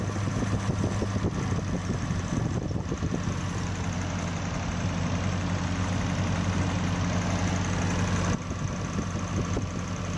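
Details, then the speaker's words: Old carbureted Toyota Corona with a rough-running (pincang) complaint, idling after the plugs were checked, while the carburetor air screw and throttle stop are adjusted: a fast, slightly lumpy idle with an uneven pulse under the drone, still settling. "Oke, angin-angin ini lur. Angin-angin ini karbu ya. Kita putar sedikit-sedikit. Kita cari suara yang paling pas, suara mesin paling pas teman-teman ya."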